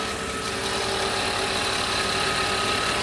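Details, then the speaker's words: Mercedes R129 SL500 V8 (or W124 E420) running after sitting several years: steady, even idle with light regular patter once the underside secondary pump stops ticking at temperature; engine runs smoothly on all cylinders. "the pump is sitting right here underneath and uh once it hits certain temperature stops running with it and now you can see the engine runs pretty smooth amazing"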